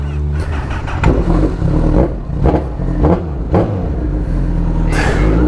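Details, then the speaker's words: Kawasaki H2 motorcycle just started on a cold morning: uneven revving bursts with an odd thump in the engine note; rider says it sometimes does this at startup, cause unclear; unusual startup noise. "What was that? Did you hear it? Or, yeah, it's been doing that. I don't like it."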